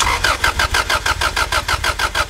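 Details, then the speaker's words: Honda Civic that suddenly wouldn't start: steady starter cranking at about six compression pulses a second, never firing. A spark test during cranking showed zero spark; the fuel pump also wasn't priming. Crank no-start, no spark. "yeah absolutely zero in you got to put the router back on"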